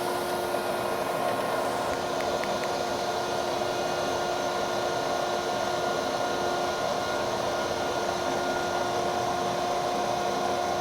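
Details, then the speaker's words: 1981 W.F. Wells W-10-2 automatic dual-post horizontal bandsaw, restored with new blades, cutting dummy wood on automatic cycle as head comes down: constant steady motor hum, no knocking, squeal or grinding; running smoothly. "Let's watch it go through an automatic cycle now. We've got some wood dummied up in there because we don't want to wreck the nice new blades we got. Here she is coming down."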